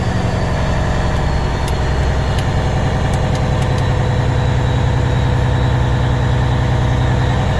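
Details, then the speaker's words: 1992/93 International 9200 with N14 Cummins diesel, 10-speed manual, sitting since 2008, first running after no-start: steady, even low clatter about three and a half beats a second at idle, no misses; sounds healthy. "i don't know what that is that slide in fifth wheel well it sounds good"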